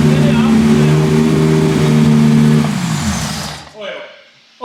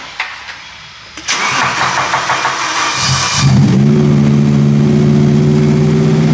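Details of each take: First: V10-swapped BMW E46 M3 after finding big exhaust manifold-to-head leaks: a strong, clean rev rising and falling without stumble or popping. It sounds close to all cylinders firing, "9.5 cylinders." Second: V10-swapped BMW E46 M3 after radiator work: cranks, catches and settles into a steady but slightly lumpy idle; still running two cylinders down (misfire).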